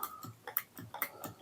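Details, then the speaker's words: Zipstick joystick flicked at about four clicks per second with sharp plastic microswitch clicks; the left direction sounds duller and flatter than the others. A worn switch is suspected, to be swapped for used replacement microswitches. "It's just a bit flat and just feels a little bit different. So I'm going to do something different with this one because I've got some replacement micro switches."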